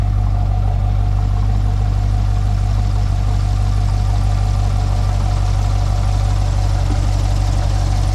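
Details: 2020 C8 Corvette Z51 being rebuilt, first start after dealer key programming, coolant filled and oil checked: deep steady V8 idle with an even smooth beat, no knocks or ticks; healthy.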